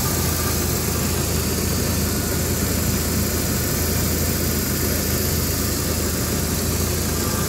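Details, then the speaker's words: 1997 Jeep Wrangler SE at idle: steady low idle with a faint, uneven buzzy exhaust rattle coming from back around the muffler. "and it does have an exhaust rattle which you can hear back here somewhere around the muffler near the exhaust rattling"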